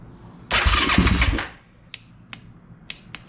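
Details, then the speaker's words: Yamaha YFZ450 with grounds tightened and carburetor refitted, choked with a little gas: engine cranks about a second without catching, then only lone dry clicks; back to the same no-crank problem. "So, it it did turn over for a bit, but it doesn't want to turn over anymore. So, now it's doing the same thing again."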